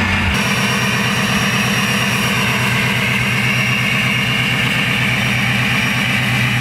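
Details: Ford 6.0 Powerstroke diesel with Gearhead tune, after installing a KC Turbos 10-blade turbo, held at 1,000 rpm: steady rumble with a clean, even high whistle on top; normal turbo whistle.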